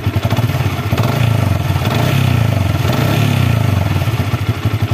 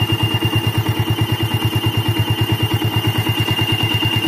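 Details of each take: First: Old Yamaha Vixion, engine still very hot after test ride, after replacing water pump seal, bearing and impeller: revs up and settles with a clean, even exhaust beat and no whistle or whine; running healthy. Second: Old Yamaha Vixion at idle, engine fully hot, radiator fan not yet running: steady high whistle/squeal over an even idle about three pulses a second, absent when cold; worn water pump seal, fixed by replacing seal, bearing and impeller.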